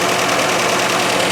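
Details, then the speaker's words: 1985 Iltis restart after sitting, on petrol about two and a half years old: steady, even idle with no knocks, misses or dips; a good, nice-sounding, cleanly running engine; normal idle. "okay this is a good good noise engine it sounds really nice"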